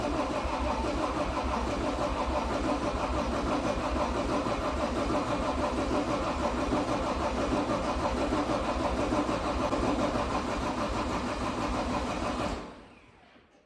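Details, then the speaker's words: 2012 John Deere 333D skid steer, reman long block diesel, first cranking after install with coolant and battery connected: steady cranking at about three turns a second for twelve seconds, no fire or smoke. Owner suspects air in the fuel system. "I don't see any smoke yet I don't see anything weird though"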